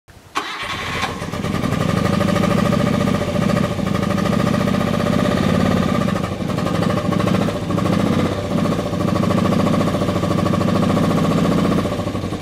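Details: 1976 BMW R90/6 twin after rebuild, having sat over 10 years in the New Mexico desert; catches straight away and settles into an even, lumpy twin-cylinder idle with no knocks or rattles: normal start and idle.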